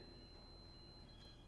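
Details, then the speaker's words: 1948 Chevy Business Coupe wiring check, meter grounded, testing the tail light wire: steady high-pitched meter beep for about a second, continuity, the tail light wire is shorted to ground (the stoplight wire did not beep). "Tail light's going off."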